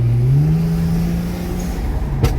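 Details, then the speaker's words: BMW 335i (N54) after boost leak repair, pulling in third gear: engine drone climbs hard and steadily, then breaks as the tyres spin; strong clean boost with no leak, healthy turbo pull. "Guys, this car feels good. This car back. This car feels good. Car no brake traction in third gear. Feels really good."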